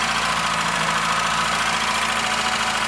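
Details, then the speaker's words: VW Golf 2 1.8 90 hp (GU engine), started and idling: a fast, light clacking from the top end that stays even after hours of driving, not only after sitting. The hydraulic lifters are dead and need replacing. "je sais pas si on va bien l'entendre mais on entend un on entend bien un bruit de claquement qui vient de la dessous"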